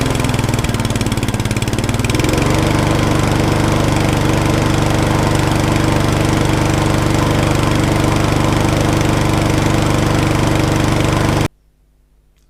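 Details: Trash-picked mower engine, sat about 40 weeks, after carburettor service and starting on choke: fires into a loud, uneven lumpy beat around three and a half per second before cutting out; still rough, cause suspected, not confirmed; earlier it had no spark.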